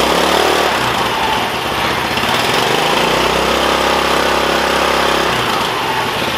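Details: Yerf-Dog Spiderbox go-kart small single-cylinder engine on a brand-new GY6 150cc carburetor after the rebuilt one failed: fast, even idle with a crisp steady exhaust beat, no misses or surging; normal running.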